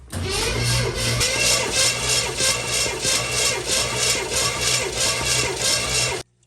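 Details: 1980 Pontiac Firebird Trans Am V8 during compression test, gauge on cylinder 8: starter spins the engine at an even beat of about three per second with steady compression pulses and no firing; cylinders around 140 psi, normal cranking.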